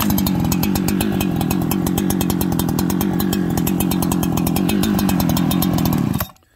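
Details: Freshly built Farmertec 288XP kit chainsaw, minutes old, on first start: burbles unevenly at steady speed after idle raised, then dies abruptly after about six seconds; poor running from fuel starvation.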